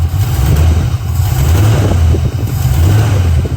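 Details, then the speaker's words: 1990 Ford Mustang GT Fox Body, built 306ci on a Ford Racing intake, new FST RT Plus 4-barrel carburetor, warmed up with the choke open: deep, even V8 idle with a firm, steady lope and no misses; running smooth. "Choke's open now, and it's like hitting really, really hard right now. Way harder than it ever has before. Probably gonna idle it up just a little bit, but it's running really smooth."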